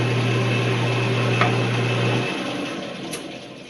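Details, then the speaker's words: Atlas 12 lathe after bushings were fitted to the gears, running with no gears engaged: steady, even low hum with no knocking or rattle, then a smooth spin-down when switched off; running cleanly. "Alright, so here's no gears engaged, the sound of the lathe. Nice and smooth."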